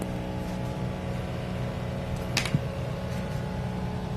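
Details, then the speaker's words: DC inverter AC outdoor unit in heating mode, customer complaint: steady low droning hum with coarse buzzy vibration underneath; outdoor unit vibrating from improper mounting. "कि यह आपको जो अ दौड़ कि sound आवाज सुनाई दे रही है यही कस्टमर की कंप्लेन है"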